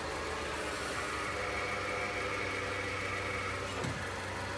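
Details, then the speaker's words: Nissan NP300 pickup at idle: pressing the clutch pedal brings a thin, high whine over the engine that fades when the pedal is released, from a worn clutch release (throw-out) bearing. "soltamos y se le quita accionamos y lo vuelve a hacer soltamos el pedal de clutch y se le quita"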